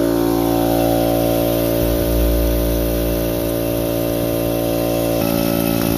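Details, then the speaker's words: Central Pneumatic (Harbor Freight) air compressor running a long time: steady pump drone with even thump about three to four times a second, struggling past 30 psi and barely reaching 40. "As you can see, it's been on for quite a long time and it's having trouble barely getting past 40 pounds. You hear that noise? That's all it does. So what it does is it struggles to go up past 30 psi."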